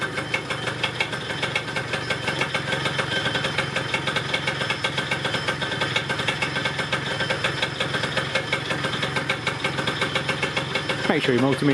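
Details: Yamaha Neo's 50 scooter, 50cc two-stroke, after service (new hoses, air filter, spark plug, 2-stroke oil), idling while charging is checked and the lights switched on: even, steady buzz with no misses, knocks or surging. Healthy idle.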